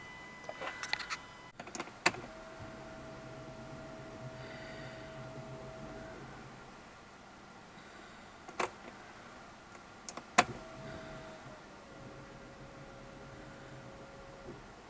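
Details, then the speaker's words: Alfa Romeo MiTo 1.3 JTDm diesel after a fuel filter change, ignition cycled on and off four or five times to refill the system with diesel. A faint steady hum runs, stops and runs again; fuel pump priming correctly, then the engine starts. "now you can hear the fuel pump is working as correctly there you go started"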